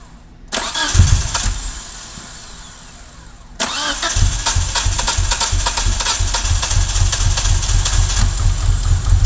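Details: 1G DSM, top end recently rebuilt, TCU failed, owner suspects rich fuel-air mixture: cranks, stumbles, catches on second try, then lumpy uneven idle; hard start and idle surge.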